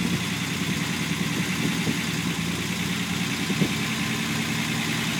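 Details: Unimog 404 first start-up after new fuse boards and a rewire; steady, even low idle with a smooth rumble, no knocks or misses, running healthy.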